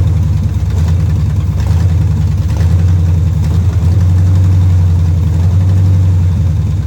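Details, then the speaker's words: Barn-find 1971 Camaro Z/28 on a temporary fuel can, after a new distributor, plug wires and fuel lines: a deep, uneven, loping idle that never settles; it runs rough because of a junk carburetor that needs cleaning. "So, we definitely got a carburetor issue. So, I'll have to take that off and clean it. But, uh, for now, at least it runs."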